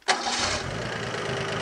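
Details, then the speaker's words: Engine with Kettering ignition after timing set correctly and vacuum advance reconnected: catches almost immediately and settles into steady run without stumbling; clean start with correct ignition timing. "so I'll put the vacuum advance back on and as you can hear it makes starting a lot easier when the ignition timing is correct"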